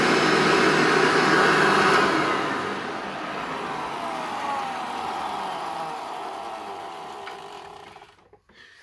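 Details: Hoover Turbo Power 2000 upright vacuum with original belt: motor roars, then a faint thin whistle falls in pitch on wind-down; owner unsure whether it's the bearings.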